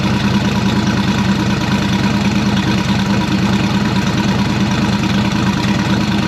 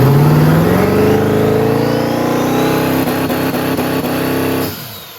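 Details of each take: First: Turbocharged V8 hot rod on its first start since last October, just after the turbo kit and downpipe were finished. It idles with a lumpy, loping, deep rumble; cause unclear. The AC belt is seen wobbling. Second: Turbocharged hot rod, newly built turbo kit, recorded on a cell phone. A strong, clean rev climbs steadily and then drops off, making five pounds of boost, which is the wastegate spring setting.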